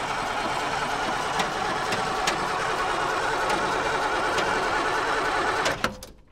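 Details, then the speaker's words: TK Bedford crane truck, Perkins 6354 six-cylinder diesel sat 20 years, after re-bleeding injector pump with fuel at only some injectors: steady starter cranking about four beats a second, no firing; no-start from air in the fuel system. "we have got a bit of fuel coming out of some injector lines at the injectors but but not all so it's a bit more cranking and just see what happens we don't want to overheat that starter motor"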